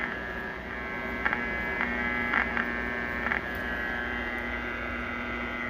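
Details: 1941 Crosley 52TA AM tube radio after partial recap and dial needle realignment: steady unchanging low buzz with faint crackles. Mains hum persists.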